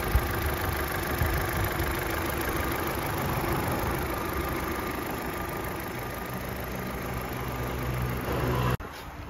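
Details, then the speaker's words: Opel Astra H 1.6 (XER) after a complete engine rebuild for a broken piston and bent rod. Even four-cylinder idle at a constant pace, no knock, tick or rattle, then cut off; healthy, no shaking. "il n'y a pas de tremblement, ça marche ou pas? Je veux dire, ça peut ne pas être compris à l'écran, mais vous pouvez entendre le son,"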